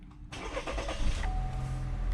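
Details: Chevy Malibu after repair for hard brake pedal/hard start (P0556, vacuum pump suspected) and oil change, no check engine lights: short crank, catches almost immediately and settles to a steady idle; normal start.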